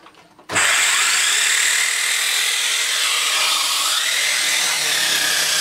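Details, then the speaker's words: Dyson Cinetic DC54 floor tool after refurbishment: harsh high grinding rasp over the motor rush; owner suspects two cogs removed for cleaning were not refitted properly, cause unconfirmed. "this I then it works but should have make that horrible sound the problem is basically that these two cogs I took them out to clean underneath them I don't think they've gone back in quite"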